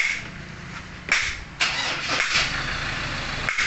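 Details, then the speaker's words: 2015 Ford Ranger XLT 2.2 diesel after a new turbo was fitted (earlier low power, loud grinding noise, white smoke): cranks, catches and settles into a steady, even idle, now quiet, no grinding; normal idle before road test. "So ngayon mga kalbularyo, ang tahimik na talaga ngayon, pero try pa natin itong road test."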